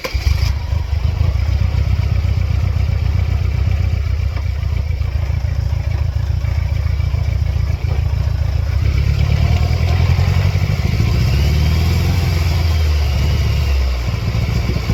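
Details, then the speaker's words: 1999 Mercedes-Benz C230 Kompressor W202, flashing check engine light, running with mass airflow sensor unplugged; low lumpy uneven chugging that hunts and never settles, then stalls; rough running, cause not pinned down. "I'm just going to unplug the mass airflow sensor. Shaky. Stall out though."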